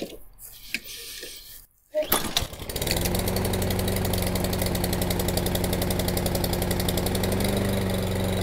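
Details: Toro Recycler 22-inch mower with replacement Ready Start carburetor, cold after sitting for months: one pull and engine catches at once, settles into an even steady putter with no stumbling; clean cold start.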